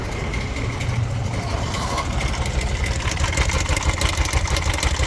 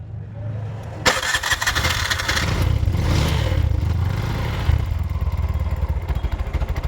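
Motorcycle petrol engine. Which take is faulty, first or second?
first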